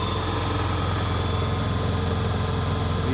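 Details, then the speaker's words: Honda EU7000is inverter generator on eco throttle running a 2-ton central air conditioner, back-fed into the panel: constant, smooth hum with steady pitch, no surging or hunting; holds the load evenly, normal. "right now it's running my Tucson air conditioning unit the phone Eco throttle"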